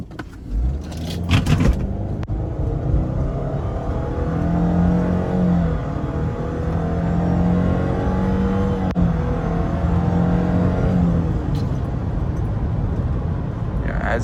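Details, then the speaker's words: 2018 Subaru Forester Limited, 2.5L 170-hp 4-cylinder with CVT, hot after a long day of driving, accelerating hard from a stop: a steady low hum under the pull is ordinary CVT whine when heated up, not a fault. "You can also hear a whine from the CVT. Now, I I've driven a lot today. That is completely normal. That is just what the CVT sounds like when they get heated up."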